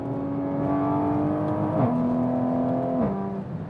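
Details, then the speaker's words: Toyota MK5 Supra with built ZF8 automatic transmission, around 850 hp, manual mode in fifth gear at about 25% throttle: engine drone climbs, then pitch drops cleanly at each change, crisp healthy upshifts. "so there it is Shifting uh that was about 25 throttle"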